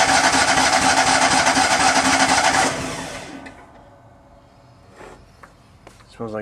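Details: Miller Bobcat 250 welder with gasoline engine, 34.1 hours, unused July to January. On choke after adding gas it gives harsh cranking for a few seconds but won't catch. The owner thinks it is getting flooded.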